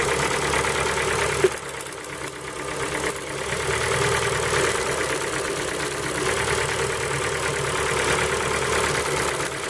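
Light, fairly quick ticking knock over a cold idle, about three per second, steady with no revs; cold-start knock of unclear origin.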